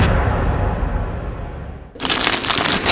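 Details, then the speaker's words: Air compressor motor knocks twice and stops without starting, then a rough hiss of air follows; the start capacitor is suspected and was later cleaned and replaced. "у меня при включении компрессора Сейчас я покажу он не запускается он два раза кнет и останавливается"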